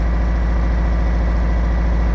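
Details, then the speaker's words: 1985 Toyota MR2 misfire diagnosis, unplugging each cylinder's lead at idle: spark present and strong, but the idle stays steady with no drop whether plugged or unplugged, so that cylinder is not firing at all. "I'm gonna go ahead and plug that back in has it here the engine doesn't pick up speed it's not happy with it plugged in or unplugged that's not firing at all"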